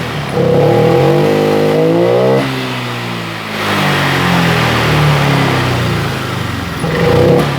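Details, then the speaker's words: Honda Vario 125 LED scooter with no throttle response: the engine revs sluggishly and unevenly, bogging on throttle, because the fuel pump delivers too little pressure with the engine running. "permasalahannya berada di full bom kurang tekanan pada saat mesin hidup"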